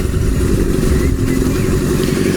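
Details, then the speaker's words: Kawasaki Z650B in restoration, on carbs not yet cleaned, float bowls only removed and jets checked clear: smooth, even four-cylinder burble with no stumbles or popping; running fine, owner thinks the fault lies with one carb. "which they are and now the engine is running fine"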